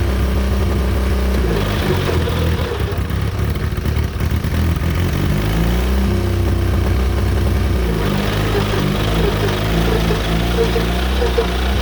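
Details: John Deere Model R tractor big diesel engine after the pony motor was rebuilt, reinstalled and used to start it, following injector work and freeing a sticking fuel rack; deep note sags briefly, then picks up and holds steady; normal running.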